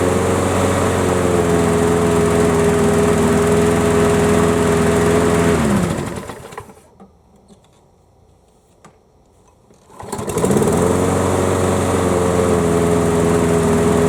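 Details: Craftsman riding mower, model 917374552, that would not start, refuelled and started on the key: steady, even single-cylinder drone at constant speed with no misfires or surging; runs properly, battery seems to need charging.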